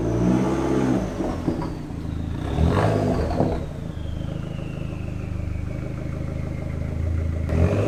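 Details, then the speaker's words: Dodge SRT4 after the exhaust was modified with a Vibrant Ultra Quiet Resonator, recorded in the cabin while driving at about 2,000 to 3,500 rpm in cold weather: a smooth, even cruise drone over road noise with no buzz or rattle. The exhaust sounds normal, close to the old muffler's volume but without its rattle. "I think it sounds great. It is almost the exact same volume and sound as the previous muffler was, just without the rattle, which was really the whole purpose of this."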